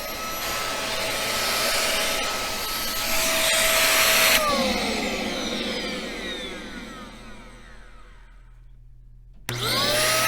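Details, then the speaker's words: Bissell 1306 Multi-Cyclonic upright vacuum, a few years old, running: a deep, strained roar with a high motor whine, winding down at switch-off then restarting; the airflow is choked by a clog inside. "now as you listen to this you might think this is darth vader's vacuum cleaner okay right jokes aside i want this thing to work and quite honestly it's not exactly non-loss of suction"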